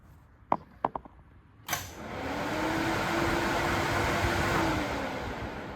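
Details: Welding truck's AC fans, running through a newly added relay with a diode and tied into the pressure switch. A click, then the fans spin up into a steady, even rush of air with a faint constant hum: the fans are working properly with the AC.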